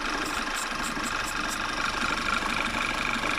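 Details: Engine idling after PCV valve (06H 103 495 E) replacement, seal area sprayed to test for vacuum leak: steady even idle with light hiss, revs stay flat; new PCV seal not leaking.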